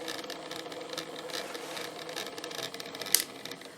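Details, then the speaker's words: Aristone tabletop radiogram turntable, first power-up on a variac at 170 V after idler repair: thin, busy whirring chatter from the drive, loud for its size, with a sharp tick near the end; noisy drive, dry idler shaft to be cleaned and re-oiled. "But that's cool. It works. I wonder if we can quieten it up a bit."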